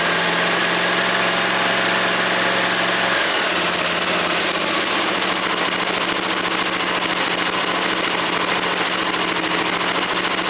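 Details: Woods 6180 zero-turn mower, 18 hp Briggs & Stratton Vanguard, after carb cleaning: loud, steady drone that settles after a brief change in note once the air filter top was removed; owner suspects a plugged, oil-saturated filter.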